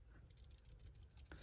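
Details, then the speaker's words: Refrigerator with no power, compressor overload protector removed and shaken by hand: quick light clicking rattle of a loose internal piece, showing the overload protector has failed. "so I just make sure that you can hear the jiggling rattling in there"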